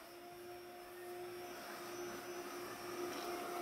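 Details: Pure Clean PUCRC99 robot vacuum (11.1 V lithium-ion) that normally runs only minutes before returning to its dock: after charging a couple of hours, it starts on its scheduled run with a smooth, steady motor whine that slowly builds.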